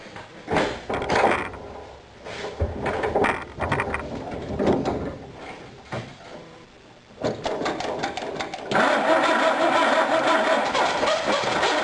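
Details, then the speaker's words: Dart engine started with gas poured on the carb: a few cranking tries, then it catches and runs rough with a steady knock about three per second before the motor is pulled; cause not clear. "But before I do any of that, I'm going to go ahead and throw some gas in it and see if it'll fire up for you so you can hear what noise it's making."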